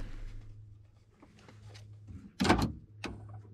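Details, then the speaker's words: 1997-2001 Honda CR-V after installing a used replacement power door lock module: a faint hum, then a firm clunk and a shorter second clunk; the locks now open and close normally. "open and close nice stick look forward knobs everything's working nice"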